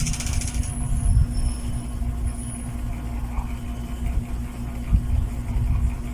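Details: 8-month-old NSS 410 MM mini ceiling fan after a few hours running: steady low drone with constant hum and slight rumble, no clear rhythm; motor has turned noisy and rough.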